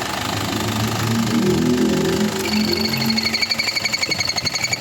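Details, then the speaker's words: Isuzu Crosswind, noise when the aircon is switched on, which the customer suspected was the compressor: rapid rhythmic chirping, about four a second, over the running engine as the compressor loads; belts look new but are loose and slipping. "Sa nakita ko dito mga boss, maluwag lang naman itong mga belt niya."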